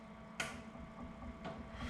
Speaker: I'm actually listening for a click of the solenoid clicking so if we do the flush you can hear that nice click